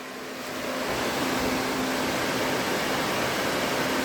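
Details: DA Integra electric cooling fan cycling back on via new 30A relay after the factory OEM fan switch is reheated, engine off: airy whoosh ramps up then holds even rush; fan working normally.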